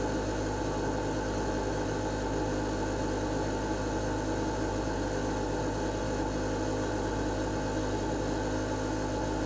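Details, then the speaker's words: Lennox Pulse21 furnace (installed 1993) after repaired control board: smooth steady low hum of inducer fan, no knocks or rattles, purging old gas before blower comes on; normal startup. "this part always takes a little bit before the blower motor kicks in it's got to evacuate all the other old gas and everything out of the system"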